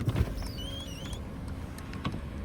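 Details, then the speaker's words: AMG car parking in the rain: thin rising squeal wavering about a second as the power window moves, over cabin rumble; screech cause unknown. "Y'all hear that little window noise? I don't even know what the hell that is. My shit just screeched."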